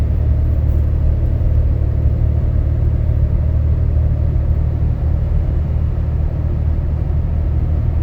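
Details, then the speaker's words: In-cab, 2012 Dodge Ram 6.7 L Cummins diesel, deleted (no muffler, DPF or cat, EGR delete), undumped 4-inch turboback, H&S Mini Max stock tune, light load climbing a slight grade: low even rumble with no booming drone building; exhaust quiet and normal. "and it's almost whisper quiet in here. I mean, it's amazing."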